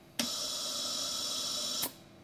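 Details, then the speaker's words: Jenny air compressor, machine off with tank pressurised, pilot valve manually triggered: sharp hiss of air rushing from the intake air filter for under two seconds, indicating a failed unloader pin beneath a cap on the pump head. "what that indicates is that we have a failed unloader pin beneath one of these cap assemblies in the pump itself"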